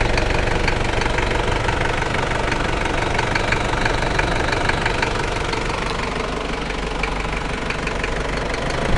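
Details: New 1KZ-T diesel engine idling: a loud, somewhat uneven rapid knock of roughly four beats a second rides on the idle. Engine knock at idle, cause not pinned down.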